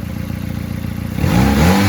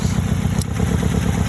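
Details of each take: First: 2001 Nissan Sentra after replacing a dead ignition coil pack (code reader pointed to bad coil; idle misfire when coil unplugged): engine revs up cleanly and settles back steady, no stumble or skip, running smoothly on all cylinders. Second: 2001 Nissan Sentra idling roughly with an uneven, lumpy low beat, dropping to two cylinders with coil packs unplugged during backyard coil pack diagnosis; number one coil pack suspected bad after swapping it with number two.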